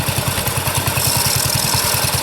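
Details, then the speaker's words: Wheel Horse garden tractor, single-cylinder, idling after revival: steady thump with a constant high scraping hiss over it; clutch rubbing and needing adjustment. "have to adjust the clutch a little bit you can hear it rubbing"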